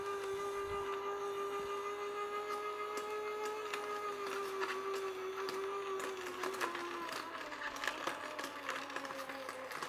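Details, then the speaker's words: A cheap copycat vertical slow juicer (compared against a Sana 808) is fed carrots one at a time. The motor whine sags in pitch with crunching pops as it slows under load; the blades later stop, with something jammed in the gear. "Uh huh. Notice already we know how this handles stress, it slows down."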